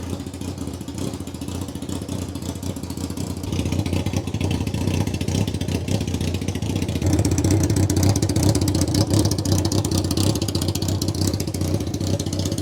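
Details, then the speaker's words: Honda Fireblade motorbike engine in a kei truck, run without coolant after an aftermarket ignition fix: low, lumpy idle that wavers and surges without settling; owner suspects air leaks from old seals or carb issues, not confirmed. "there isn't really anything obvious that I can see that is stopping it from ticking over better it's probably just this a box old bikes you need to make sure you got proper a tyght seals"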